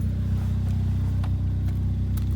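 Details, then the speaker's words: Ford Fiesta ST180 Mk7 idling after a DIY service with new oil and spark plugs: steady, even low rumble, no misses or knocks, sounding a bit odd from an existing exhaust blow. A tappy engine that may need a cam bucket change, but it sounds healthy. "It's idling well. I've got a blow in my exhaust anyway, so it's going to sound a bit odd. But yeah, sounds healthy."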